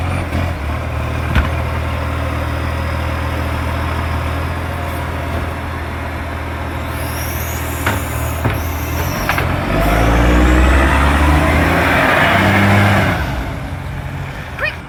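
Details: NAWMA FOGO 3520 diesel: a deep rumble with a sharp, regular puffing tick of about four per second that rises with revs, typical of a large exhaust leak.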